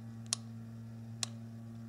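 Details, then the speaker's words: 1997 Nissan Maxima with code P0443: EVAP canister purge control solenoid valve bench-tested with direct power. Three crisp clicks about a second apart over a low hum show the plunger moving cleanly; normal solenoid valve clicking. "so as you can clearly hear the valve is working correctly"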